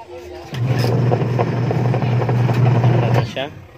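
A steady low motor hum runs evenly for about three seconds without slipping squeal or knocking; the washer drive sounds normal.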